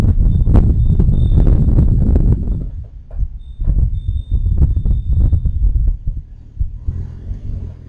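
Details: Rear LSD differential noise check: deep uneven rumbling thumps that swell and fade while driving, coming from the rear differential; cause not confirmed.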